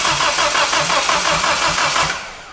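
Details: Nissan 200SX S13 CA18DET rebuilt with forged parts, first start attempt: starter spins in even pulses about five a second with no firing, then stops; cranks but won't start.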